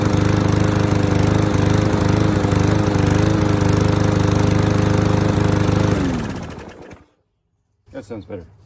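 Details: MTD curbside lawnmower, fuel tank found full of contaminated, oatmeal-like gas with water and pine needles: steady, even drone holding constant pitch about six seconds before shutoff and wind-down; runs smoothly.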